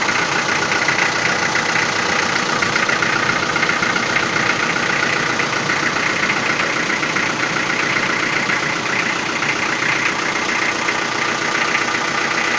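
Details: Toyota 4B diesel knocking after injection pump repair (plunger pair and nozzle replaced), cold idle in frost before glow plugs warm: sharp steady knock two or three a second over rattly idle, strongest cold.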